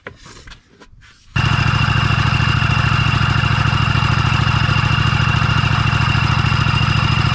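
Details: Scag V-Ride mower engine catches and settles into a steady idle with a thin high whine over it; spraying the engine pulley bearing and another pulley didn't quiet it, owner next suspects the hydro pumps.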